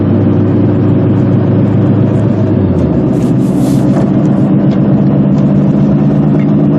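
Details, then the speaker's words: 1995 Honda Civic driving on pavement: steady low hum-growl under road noise that grows louder as speed increases, from a bad front wheel bearing. "You might hear that noise coming up. It will get progressively louder as my speed increases."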